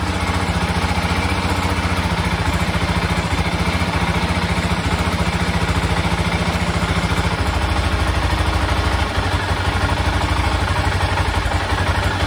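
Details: 1996 BMW F650 Funduro single after carburettor rebuild, warming up: steady fast idle, revs lift and settle cleanly without stumbling or cutting out, unlike before when it cut out at higher revs.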